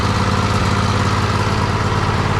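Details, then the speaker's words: John Deere L111 riding mower, Briggs & Stratton 20 hp V-twin, over 1,200 hours, after valve adjustment to .004 clearance for hard cranking: steady even idle, smooth low thump, no ticks or misses; normal idle. "Perfect. That's a valve adjustment on a 20 horse brick and Stratton V twin inte with over,200 and something hours on it."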